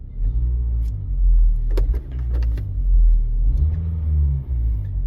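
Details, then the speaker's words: 2009 LPG car, 163,000 km, just started at idle: deep uneven rumble swelling and fading, steering wheel and seats shaking badly; worn engine mounts passing vibration into body. "지금 이게 떨려서 나는 소리거든요. 떨려서. 자, 으르르 합니다. 지금 전체적으로 핸들도 다라락 떨고, 아주 의자까지 시트까지 완전히 달달달달 떨고 난리가 아닙니다."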